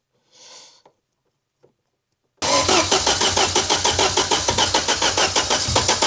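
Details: Ford Sierra Cosworth RS under restoration after 15 years without running, injectors suspected seized, retrying after a failed first start and fire: steady starter cranking about three and a half beats per second, no firing; engine turns but won't catch, cause unconfirmed.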